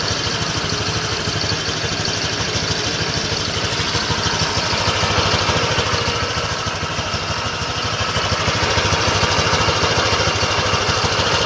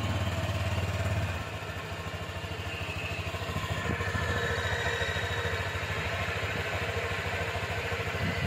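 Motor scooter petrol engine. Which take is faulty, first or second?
first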